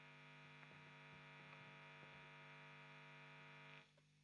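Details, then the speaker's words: Guitar with vintage-style P90 single-coil pickups through amp, nothing played; quiet steady low buzz with a ladder of higher overtones compared with silence, classic single-coil pickup hum. "that noise is what we're hearing in comparison to silence."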